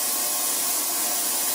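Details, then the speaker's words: 10L ultrasonic cleaner with 300 W heater, defaults 50 °C and 5 minutes, runs with a harsh, steady, unbelievably loud high hiss-buzz through the whole cycle, mostly the metal lid vibrating metal on metal. "Yeah, unbelievably loud. I think, and most of that, when you take the lid off, you can tell most of that sound is just the top of it vibrating, metal on metal."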